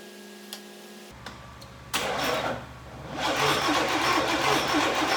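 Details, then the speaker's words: 1990 Chevrolet 454 SS truck after oil loss: starter cranks a second, engine catches and dies back, only holds running on heavy throttle; hard start, cause still unknown. "So as you can hear, she really wants to start."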